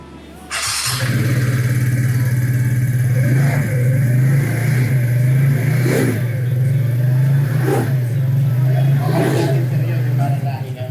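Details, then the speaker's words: TVS NTORQ scooter after troubleshooting repair. It starts at once and settles to an even beat with several clean throttle blips. The earlier robot-like noise is gone, with no odd mechanical sound, so it runs normally. "Tsaka siya, hindi ganun Alam mo wala yung ingay na yung parang robot."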